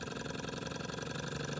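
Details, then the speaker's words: Restored small Stirling engine with no exhaust: quick, even chuffing at about 17 beats a second, drifting slightly faster and slower because of an uneven burner flame; it runs smoothly. "so guys the engine as you can see is going perfectly now focus hasn't been run for a while"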